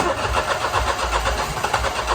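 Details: 2009 Smart Fortwo 451 cabriolet hard cold start: steady rhythmic cranking that never catches; fuel pressure gauge teed into injector rail reads about 30 psi instead of roughly 50, and the fuel tank has a screw hole in it.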